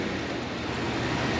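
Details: Cadillac Escalade ESV 6.2 V8 (2WD) after engine mount replacement, rechecked in drive with foot on brake: steady, even hum with no thumping or shudder, the engine-shaking condition is gone; normal running.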